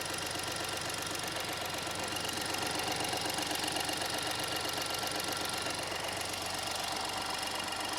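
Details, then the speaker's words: Wrecked 2023 VW Taigo being rebuilt, first startup after engine refit: uneven, lumpy idle with a rapid ticking patter over the engine; runs rough but keeps going, left to warm up. Cause not confirmed. Rough idle. "sorry that was probably the roughest sounding car after a startup we've done I think"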